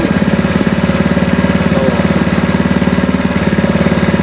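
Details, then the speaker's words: Spice/meat grinding machine about 17 years old, after replacing the worn, cracked grinding stone; steady even thumping about three beats per second with no knocks, now running quietly; normal idle after repair. "tadinya kan berisik banget jadi lakernya lakernya udah kena terus E itunya k tu halus suaranya halus"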